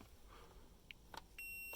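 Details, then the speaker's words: 2005 Hummer H2 with faulty steering wheel horn, multimeter continuity beeper on the horn switch bars: short chirps then a clean steady beep as the contacts close top and bottom; switch contacts fine, spring-loaded ground wiper suspected. "So to demonstrate, I've got a beeper on my multimeter. If I push this bar in, you can hear that it makes contact top."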